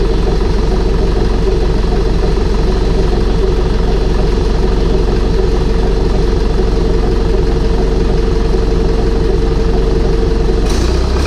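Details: Air-cooled Deutz diesel started on glow plugs after reassembly with new fuel pump, new head gaskets, heads torqued, intake and exhaust refitted; fires and settles into steady, even clatter at idle, no misses or knocks; healthy.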